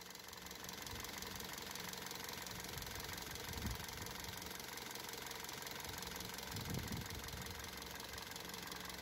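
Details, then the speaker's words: Car running on LPG after replacing LPG injectors and LPG filter to cure idle fluctuation and loud injector noise: steady idle with light, fast, even ticking; fluctuation gone, clicking much reduced versus before, normal. "Tha an coileanadh aige air a thighinn air adhart ... tha am fuaim cliogadh air a dhol sìos gu mòr an taca ris an fhear roimhe..."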